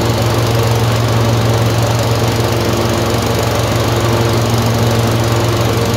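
Twin runs with an uneven, stumbling beat, about two hiccups a second at steady throttle; misfiring and hunting, cause not pinned down.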